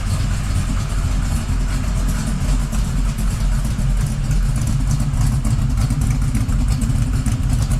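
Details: 1979 Camaro Z28 V8 at first start after swapping the noisy Pete Jackson gear drive for an Edelbrock Performer double-roller timing chain set, new balancer and water pump; still warming up. Loud, lumpy burble with no gear whine. Timing drive now quiet; normal idle.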